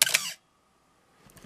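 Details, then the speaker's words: Canon AE-1 Program 35mm SLR with FD 50mm f/1.8 lens, shutter fired while stepping down speeds from 1/1000 s in a pre-sale check. Sharp snap then a thin high squeal lingering about a second: shutter squeal, the "Canon cough". "okay and what we heard there is what i tend to call the cannon cough or the or what some people call a squeal in the shutter"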